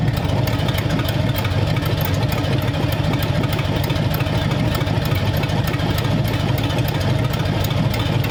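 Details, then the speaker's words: Hopped-up flathead V8 for a 1932 roadster, about 20 minutes of idling, around 70 lb oil pressure, temperatures around 170–177: deep, even burble with no misses or taps; normal idle. "yeah I think this engine is is pretty close yep all right so it runs beautifully"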